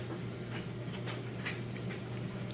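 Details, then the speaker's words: GE electric dryer loaded with heavy washed towels and jeans, regular timed dry at normal heat, just started: even low motor hum with soft tumbling taps, no squeal or scraping; normal dryer operation, heating confirmed earlier. "okay got this guy loaded down with all of that laundry and we're just going on I see regular time dries fine normal heat I don't really want any extra dryer options start it up there it sounds great"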